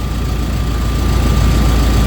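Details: Rover Mini in a freezing garage, engine warm with temperature gauge bang in the middle: smooth, deep, unbroken idle with steady pulse, no misses or ticking; normal warm idle, though heater output only lukewarm.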